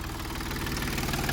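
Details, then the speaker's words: 2010 Volkswagen Touareg that broke down while driving, barely running and cutting out on throttle: lumpy, uneven idle with heavy lopsided beat; one cylinder bank contributing, other bank not firing, running on three cylinders. "this bank is contributing but this bank is not"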